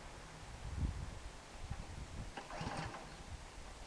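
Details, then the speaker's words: Snow blower being run dry before spring storage, little fuel left in the tank, primer bulb sputtering: a few weak uneven thumps and sputters that never catch; hard starting, likely out of gas. "it sounds like it might be out of gas if though there a little in the bottom of the tank cuz the the primer bulb is just going sputtering like so it might not even start"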